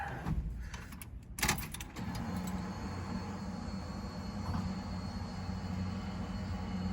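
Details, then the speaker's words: 1969 Pontiac Firebird with Holley Sniper EFI that suddenly lost cylinders while driving: steady low idle with an uneven, loping miss; one injector found not firing, leaving a dead cylinder; misfire. "How bad that's running. It's definitely missing on a couple cylinders. What I discovered is that injector right there. See all these ones firing, but that one is not."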